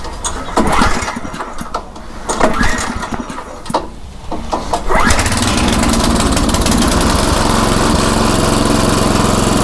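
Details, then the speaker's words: Craftsman rototiller after fitting a new carburetor, in neutral at about three-quarter throttle: a few rough pulls and sputters, then it catches and settles into a steady, even run with no surging or misses; sounds much better. "huh well that sounds a whole lot better"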